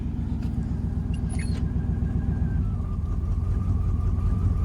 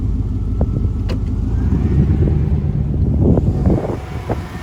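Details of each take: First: Chevrolet C2500 truck, in gear: the idle thumps unevenly with skipped beats and a rumble that shakes the door, an engine misfire from worn spark plugs and wires; plugs are to be changed. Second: C2500 truck after new spark plugs and wires (old ones bad, wires fit poorly), oil burning off manifold: pulls in gear with even steady drone, no stumbling or skipping; misfire fixed.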